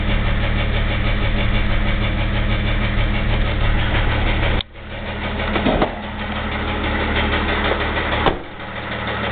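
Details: 2001 Jeep Grand Cherokee 4.0 inline-six idling, oil changed regularly, noise started suddenly: steady, somewhat uneven low knock about three per second; owner unsure if piston slap or rod knock, before pulling the oil pan.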